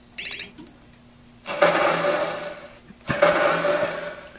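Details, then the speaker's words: 1991 Williams Terminator 2 pinball machine, neglected, during startup sound test: two harsh, fuzzy, crackly bursts of a couple of seconds; distorted audio output, owner suspects a blown speaker. "yeah that sounds really bad i think one of the speakers is gone"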